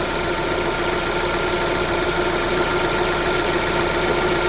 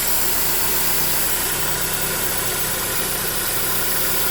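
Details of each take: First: 2009 Holden Cruze JG 1.8L F18D4 after replacing the rocker cover with built-in PCV valve for white exhaust smoke: even, steady idle with no hiss or sucking air, a healthy engine at rest. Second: 2009 Holden Cruze JG 1.8L F18D4 4-cylinder, 6-speed auto, blowing white exhaust smoke, at idle: steady sharp hiss from the valve cover side, changing in pitch, a vacuum leak through the cracked built-in PCV valve; whole cover to be replaced.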